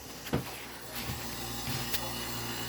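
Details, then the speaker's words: 1970s–80s Oasis refrigerated drinking fountain, condenser fan not running; quiet, steady low hum with a few handling clicks; compressor runs evenly and sounds healthy, one line warming and another getting cold. "You can hear the compressor, which sounds pretty good."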